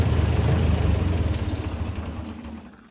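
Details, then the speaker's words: 1958 Massey Ferguson 50 tractor, 4-cylinder gas engine with new fuel bowl and filter, at idle: low, even thumping with regular beat, no misses or knocks; starts up nicely. "Starts up real nice. There you go."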